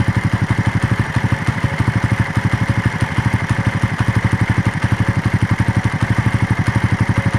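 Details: Fast, even pulsing about four a second with a light clatter on the idle of a Raider after a long ride; engine noise at idle, source not pinned down.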